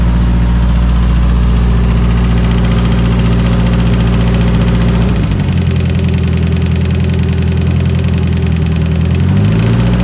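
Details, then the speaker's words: Sandrail with a 2.3L Ford turbo four-cylinder idling after new Melling JB 2012 lifters were installed: light, quick valvetrain tick about three to four per second over the exhaust, still present though perhaps better than before. "uh well after all that she still ticks so it's not all you know glory and success here on delony v8"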